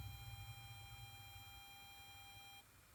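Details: Kenwood DPX-5000BT car stereo: every few seconds, on every source, speakers produce a high-pitched buzz with overtones over low hum for about 2.5 seconds, then cut out; cause unknown.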